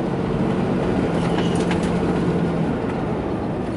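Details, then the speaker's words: RAM truck driving on road after track/panhard bar work, believed to be the fix for an earlier front-axle grinding: steady tyre and drivetrain rumble with no grinding; sounds much better, steering more solid and rigid. "so I don't know it sounds a lot better a lot a lot better and it's a lot more solid rigid steering's a lot better"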